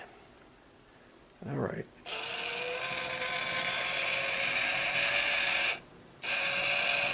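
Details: Minn Kota GPS saltwater trolling motor turning housing after repair, regreased with very heavy, thick grease: whirring gear drone with a whine that rises and steadies; drive runs slower, seemingly laboring from the thick grease.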